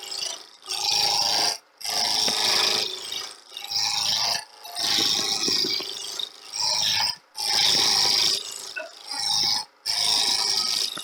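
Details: Wood lathe turning a 4-inch sphere blank; rough rasping cuts in bursts with gaps as the gouge skips over flats; tool chatter because the blank is still out of round.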